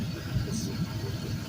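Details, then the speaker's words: Used 5.3L Gen 3 LM7 V8, 140k miles, drive-by-wire, with return-style fuel rail, idling on test stand: low, even burble, steady firing, no misses or knocks, barely vibrating; smooth normal idle. "barely barely vibrating it's just this is awesome"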